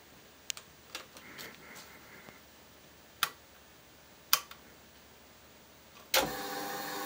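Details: Ducati Monster after a spark at the battery while fitting HID lights; pressing starter gives a few faint clicks then only steady fuel pump whir, engine never turns over; no crank, fuel pump priming only.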